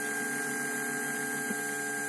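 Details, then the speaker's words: Bluetooth MP3 module added to a Polytron compo tape deck: steady multi-tone hum, siren-like, from the speakers caused by stray voltage on the module's power supply; a 1000 µF 16 V capacitor filter is fitted to cure it. "Iya cuman terdengar suara dengung terlihat nanti ada solusi lagi untuk supaya jernih Uh oke kita dengar suara seperti sirine ya ini biasanya karena tegangan liar dan perlu filter di sini"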